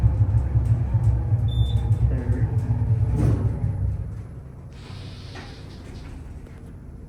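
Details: Otis Gen2 machine-room-less traction elevator, a few years old, Baylor University, recorded riding in the car: heavy low rumble with uneven knocks and scrapes, easing near the stop; rough noisy ride, cause unknown.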